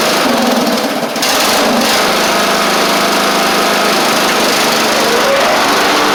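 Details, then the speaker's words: Traded-in Craftsman Wizard rider mower engine running at a steady, even drone with a bright, airy tone and no knocks or misses; engine and drive seem fine, and the work needed is on the mower deck (worn deck belt, possibly rusty pulleys). "drive seems fine engine seems fine so most of the work is going to be associated with the mower deck here"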